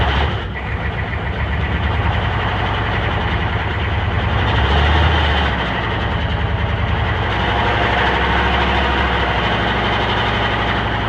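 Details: 6.5 diesel with the lift pump working and oil pressure reading 20; an uneven, lumpy clatter stumbling about four times a second at idle: misfire.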